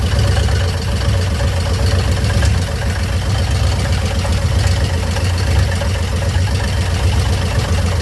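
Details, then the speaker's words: 1958 Chevrolet Bel Air rebuilt engine at idle, warming up after cooldown, rear wheels jacked up: deep idle with a faint irregular tapping up front. Noise remains with the belt off, so not the water pump; owner suspects something behind the timing cover. "She makes some noises up front. I don't know what it is. I pulled that belt off and started it, and it still made it. So it's not the water pump or nothing. Thinking it's something behind that timing cover."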